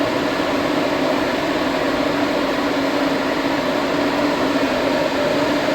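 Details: Toyota Starlet GT with new tank and uprated Walbro fuel pump, powered directly from the battery during fueling troubleshooting: steady, even electric hum with constant low whine, no surging, pump running.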